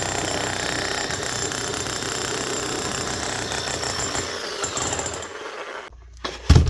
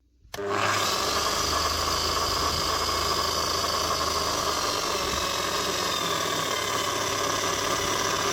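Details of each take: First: 2005 Makita HM1202C demolition hammer, 20 years old, after a rebuild with new bearings, brushes and grease: rapid, even hammer blows on a steady motor note for several seconds, then it stops. The hammer action is working properly. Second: 2005 Makita HM1202C demolition hammer with 20 years of work, after a strip, clean and new grease: a steady motor run with a rough, gravelly gear whine, louder at the low speed setting. The armature and crank gears are worn, noisy but not worn out.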